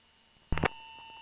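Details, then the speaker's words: Beechcraft Duchess BE76 twin during checkride practice, after a 45° bank at about 7,000 ft, pitched further until the stall warning. A steady high stall warning horn keeps sounding through a couple of cockpit thumps, with buffet. "let's go farther until you get a stall warning but you're the first indication you're the pic you think that there's a buffet there's a buffer"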